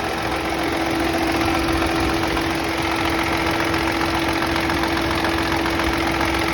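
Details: Chevrolet Onix engine at idle: steady idle with a thin, constant whine that doesn't change; owner asks what the noise is, cause unknown.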